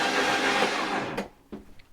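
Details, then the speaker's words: High-mileage BMW R1150GS "old yellow", spark plugs out: fast, even starter whir with no compression beats, engine spinning freely without binding; normal cranking, oil pressure light slow to go out. "whe pressure that doesn't actually sound too bad I'm quite pleased with that obviously the plugs are out so it is spinning over quite freely"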